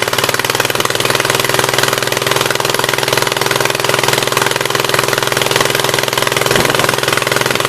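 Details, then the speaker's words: 1976 Gravely 816 tractor engine: uneven, stumbling chuffing at low idle, about two pulses a second, like one cylinder not firing; owner strongly suspects a stuck-open exhaust valve and tries spraying penetrant into the carburetor. "I'm almost 100% sure that the exhaust valve on this side is stuck open, so it would be nice if it would just tink and go in, but I doubt it."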